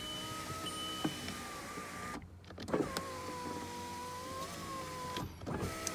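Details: 2005 Volkswagen Jetta 2.0 automatic, about 170,936 miles, rear-end damaged no-start car: power window motor gives a smooth, even whine while the glass travels, steady pitch, stopping cleanly at each end; working properly.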